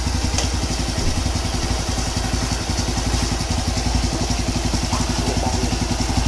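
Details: Honda Wave 110 single-cylinder engine, previously noisy, after overhaul with new crankshaft rod bearings and a rebored block (head untouched): idles with an even, steady putter and no knocking or clatter. Clean and healthy.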